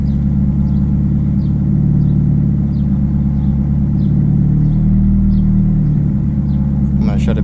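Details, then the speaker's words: Mitsubishi Eclipse with 1995 Dodge Neon automatic ECU swapped in for ignition issues: first start, idle pitch rises and sags unevenly, battery light on; idle air control valve hunting erratically. "here's to see what happens with my plus nine layer control valve back end idols doing all kinds of crazy stuff"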